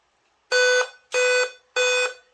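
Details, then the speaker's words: Dell laptop at power-on: loud repeating beep before Windows loads, also at shutdown and in BIOS, caused by expired or failing motherboard CMOS battery needing replacement. "A bateria da placa-mãe, quando ela chega no prazo de validade ou dá algum defeito, é necessário que faça a substituição. E ele avisa através desse bip."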